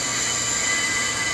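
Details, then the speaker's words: Brake rotor on Accuturn brake lathe, worn out of parallel: steady loud high metallic screech as the bit is turned in slowly and cuts heavily. "this thing is worn with a lot of parallelism we're gonna turn this on turn it in slowly so we don't burn our bits up"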